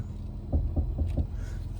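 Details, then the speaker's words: Toyota FJ Cruiser on new 33-inch Mickey Thompson tires, wheel turned to full lock: four quick dull thumps as the tread catches the body mount. Lots of rubbing, to be fixed with a body mount chop. "Lots of rubbing. So let's get this FJ in the shop and get that fixed, because we don't want all that."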